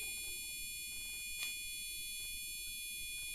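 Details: Used gaming PC with Gigabyte motherboard, heard through the motherboard speaker cable: unbroken high-pitched beep holding steady over faint room noise, yet PC posts, boots Windows 10 and runs Prime95; continuous long POST beep, cause unknown.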